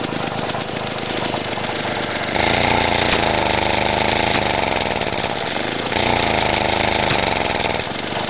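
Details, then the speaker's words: Lawn mower single-cylinder engine after fitting a new ignition coil; revving up and down, rough at higher revs and backfiring out the intake. "i've just put the new coil in and i realized that you can actually set the timing on these engines which is pretty cool i think i've got it going but now when i rev it up it starts to backfire out the intake"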